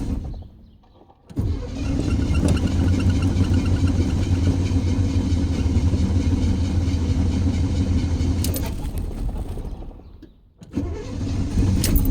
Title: Stalled hard start